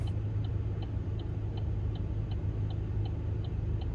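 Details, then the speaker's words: Chevy Cruze at idle: even, crisp indicator clicks about two and a half per second over a low idle rumble; earlier the clicking was out of sync, owner suspects a battery going low. Working normally now. "They're working fine now, so let's just pop the hood real quick and take a look-see."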